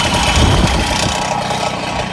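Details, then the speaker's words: MBK 51 moped with Cobra exhaust cracked and broken off: harsh, raspy two-stroke idle, much louder and rougher than normal, loose blatting note; exhaust to be removed, cleaned, cracks ground out and rewelded. "Elle a carrément pété. Pété ici. T'as bien compris le bordel quand t'entends le bruit."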